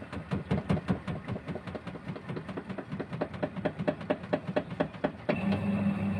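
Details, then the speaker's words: Single-tub washing machine not spinning: in spin, even rhythmic swishing pulses about four a second with no rising whine; only the pulsator turns while the tub wall stays still, likely gearbox spring or loose gearbox release-lever bolt not opening fully. "itu sudah tidak berputar lagi bagian ee dinding tabungnya itu untuk proses pengeringan itu Nah itu ini sudah pulsatornya lagi yang berputar sedangkan dinding bagian pinggir-pinggirnya ini dia itu tidak berputar"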